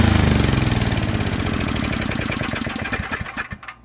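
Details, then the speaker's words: Small single-cylinder estate-sale generator engine (owner guesses under 20 years old) after carburetor teardown, fuel-line flush of dark old fuel and oil change; even, steady firing at running speed, then a smooth coast-down to stop, no misses. "i took apart the carburetor and it runs now pretty nicely definitely worth the money it puts out power it'll definitely be able to be ran in an emergency now"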